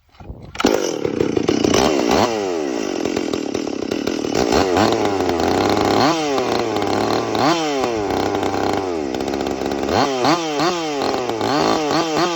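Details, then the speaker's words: Stihl MS 440 chainsaw with West Coast Saw bark box muffler, 28-inch skip-tooth chain, after cutting hickory: loud crisp two-stroke revving cleanly with throttle blips, settling smoothly; cuts and sounds good, normal running. "So, yeah, cut really good, sounds really good. Ear protection is kind of recommended for this thing. It's a little bit loud, but"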